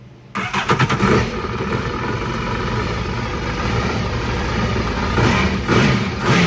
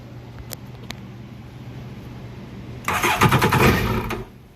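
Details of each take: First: 2008 Yamaha VX1100 jet ski with a throttle body running issue, after its connectors were reseated. The engine starts, settles to a steady run, then takes four clean throttle blips with RPM rising and falling quickly; the response is normal. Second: 2008 Yamaha VX1100 jet ski that won't stay running: starter spins the engine with fast, even chuffs for about a second but it never fires; suspected throttle position sensor relay or fuse connector problem.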